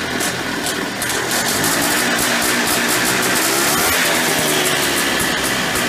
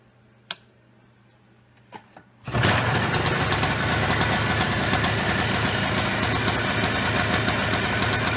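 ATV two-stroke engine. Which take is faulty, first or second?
first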